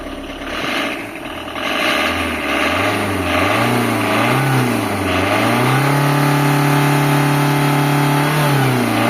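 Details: Tata Indica engine idling then revving up and down, pitch rising and falling with speed, with an odd steady tone riding over it; abnormal engine noise, source unclear.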